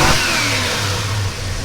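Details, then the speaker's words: 1973 Plymouth Roadrunner, numbers-matching 318 V8 with about 22,000–23,000 original miles, just started cold with about 22 psi oil pressure: blips crisply and settles back to a steady, even rumble with no knocks or rattles. The engine is healthy and responsive. "as you can see, it's got plenty of response. It idles real smooth, runs really good."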